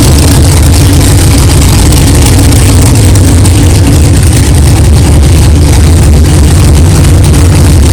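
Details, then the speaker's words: 1964 Chevelle 383 stroker V8 first fire after build, power steering box replaced: deep, even rumble at steady idle with no clanging or knocking, good oil pressure; fresh engine running fine. "wow thank God it runs it runs good sounds good no problems no clanging and banging no rods fell out of the oil pan that's good"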